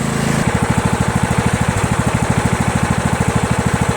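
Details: Craftsman LT1000 lawn tractor, 19.5 opposed-twin engine, previously surging, likely from a fuel problem: steady, regular putter at constant speed with no rising and falling; now runs evenly and healthy.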